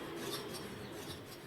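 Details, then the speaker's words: TVS Apache RTR 160 4V front disc brake: harsh, dry rasping scrape because the disc pads are worn out, not a manufacturing defect; fixed by replacing the pads. "यह छछर की आवाज आई है यह कोई manufacturer default नहीं है यह disc पद खत्म हो जाते हैं"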